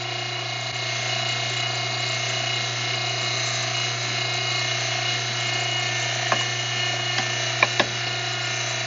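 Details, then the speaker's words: Electric fuel pump in MV Gallivant's engine room drawing from a fuel tank to fill a Racor filter bowl; a little air in the tank top makes the pump load up, then steady hum, constant low drone and small clicks as it pulls fuel; normal operation. "So I'll put it to this fuel tank here. Now, got a little air into the top of that tank. You can hear that pump load up. And now we're pulling fuel."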